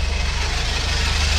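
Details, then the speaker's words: 1977 bus with automatic transmission, first running after 30 years, idling rough and low: loud idle with fast steady low pulse and constant hiss; owner says the transmission is making a noise, source unclear. "trans is making a noise it would just help if we could drive it maybe it'll go away"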